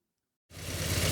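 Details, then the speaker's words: Ford Mondeo Mk3 petrol engine idling rough and lumpy with uneven low thumps: misfire on cylinders 1 and 4, increasingly hard to start. Owner suspects low compression, before the compression test. "this Ford Mondo has an engine misfire on cylinder 1 and four it's increasingly difficult to start it runs appallingly and I suspect the engine is low on compression"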